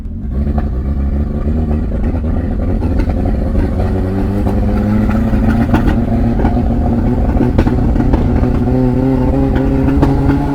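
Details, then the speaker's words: 1989 Toyota Corolla small body, free-revving after backfiring: uneven, stumbling beats and rough pops instead of a clean climb; misfiring under revs, electrical fault suspected, mechanic's verdict a loose connection at a box, to be tightened. "palyado na s try natin ikot meron pa din eh no meron pa din guys may ano may parang may parang may plema parang kumbaga sa lalamunan hindi smooth yung daluyan"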